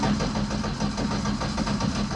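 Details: Ford ST170-engined Mk1 Escort four-cylinder: lumpy, stumbling idle with irregular beat, as if two cylinders are not firing, because two HT plug leads were swapped.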